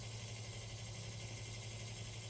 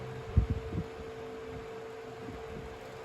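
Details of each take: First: 1970s/80s Spanish-made Limit Ariel 12-inch oscillating desk fan, round-grille model, on low at about 65.6 W; quiet hum with a constant rough buzz from motor winding insulation rubbing the rotor. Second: 1970s/80s Limit Ariel 12-inch oscillating desk fan on high at about 41.5 W and an airflow reading of about 1,239; steady low hum near 450 Hz with a couple of handling knocks. Running smoothly.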